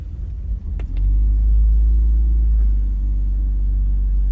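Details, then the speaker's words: BMW E46 325i Touring, sat abandoned a long time, jump-started with a power pack on low petrol: catches on the first crank and settles into a steady, deep idle with no knocks or misses. "Wow, first time start. Okay, there's not much petrol in it. It sounds so good."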